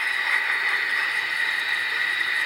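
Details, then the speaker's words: Window AC unit with an R22 refrigerant leak, heard through a 30-year-old HP/Delcon 4905A ultrasonic detector's contact probe on the coil: steady, even hiss with no pulsing at the spot the H10 detector flagged; leak confirmed. "there you go it's the same as we found yesterday with the H 10"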